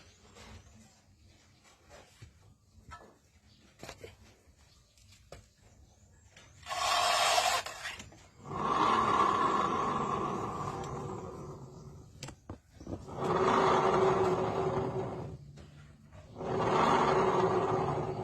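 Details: Honda scooter (belt-drive CVT) with a worn driven pulley bearing: harsh rasping grinding in bursts as the rear wheel spins at idle, very loud, not from the front pulley. Common on nearly all Honda belt scooters.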